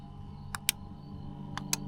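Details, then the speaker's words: Camper van elevator bed lift: two pairs of crisp relay clicks against a faint hum, no motor whir; relay switches when button pressed but lift motors don't turn despite power. "Something in this relay is going, but the motors aren't. Huh. I don't know what's wrong. It's clicking when I hit the button, but nothing's happening."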